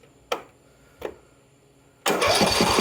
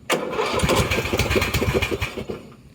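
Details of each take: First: Husqvarna LTH 18538 mower engine: two clicks, then four seconds of even cranking at about three turns a second, no crunchy noises despite a snapped-off block bolt; decompression relief working, healthy turnover. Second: Husqvarna LTH 18538 lawn tractor engine after head removal and reassembly: catches and runs two seconds with uneven stumbling pulses, then fades out; still coughing.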